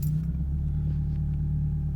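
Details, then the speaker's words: 1995 Toyota Camry, 2.2-liter four-cylinder, 4-speed automatic, 357,000 miles: fires right up like a champ, a smooth low rumble settling straight into a steady idle with no misses or ticking; normal start and idle. "right up like a champ. I mean, even with all those miles, it's really just in great shape."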